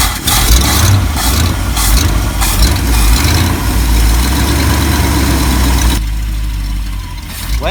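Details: 1974 Ford F-350 crushed by a tree and left untouched, started by shorting across the starter circuit: loud rough V8 note settling toward idle with good oil pressure, exhaust leak in the pipe near the manifold; normal cranking and start.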